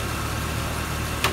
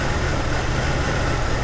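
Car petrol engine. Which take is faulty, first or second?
second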